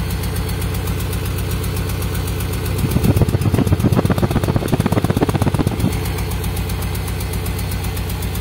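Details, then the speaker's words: Toyota Soluna petrol engine idling, heard at the exhaust: uneven limping blub-blub puffing from a misfire; suspected spark plug cables, checked by unplugging each one in turn and then replaced. "nah ini suaranya itu bl bl bl bl bl gitu ya oke suaranya itu e blub blub blub kayak apa ya kayak pincang gitu ya Ini untuk suara knalpotnya juga"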